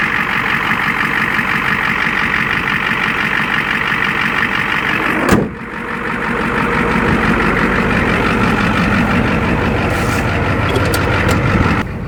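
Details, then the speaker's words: Ford OBS 7.3L IDI diesel one-ton dually, parked unused for three years, warming up to temperature at idle: steady even diesel clatter, no misses or knocks, sounds just fine; normal idle. "not running for quite a while. It sounds just fine."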